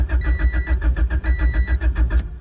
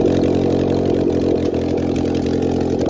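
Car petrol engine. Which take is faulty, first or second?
first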